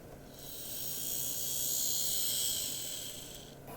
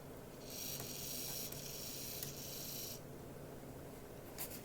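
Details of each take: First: Graham Farish Class 44 (later split-chassis) on DC test track after replacing a broken gear: soft even whir swelling as it passes, no clicks or catching; runs smoothly with good slow crawl. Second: Graham Farish N gauge Class 44 (later split-chassis) on test track, running forward and back: motor whir with sharp irregular clicks, nothing stuck on wheels, motor quiet; owner believes a split gear on one axle; clicking from cracked axle gear.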